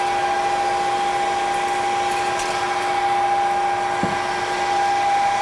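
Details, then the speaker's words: Lathe parting-off washers during a 300-part manual production run: a steady high-pitched ringing chatter over the spindle noise near the end of the cut, caused by too much stock stick-out. About eight washers come from each setup, and the chatter doesn't show after facing. "It does chatter a little bit at the end during parting cuz the stick out is too far, but I can get about eight different washers out of that operation."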